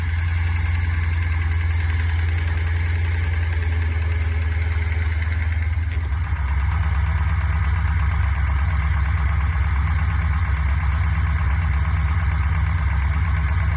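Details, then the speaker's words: Fuel-injected Corvette V8 idling with a modified cut-open valve cover, a steady light valve-train ticking about three per second; all rockers sound similarly noisy. Ticking suspected at cylinder three exhaust; valve lash adjustment planned. "well they all sound the same they're actually kind of noisy"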